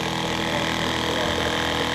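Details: Small one-gallon-per-minute pump filling an RV hot water tank on a bench test: steady, even electric hum at one pitch with no surging or rattle; running normally.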